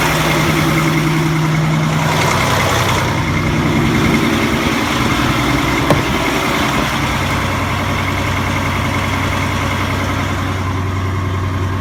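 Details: Diesel engine at idle with a quick, raspy puffing tick about three per second over the exhaust note: exhaust leaking from the diesel oxidation catalyst (DOC) case.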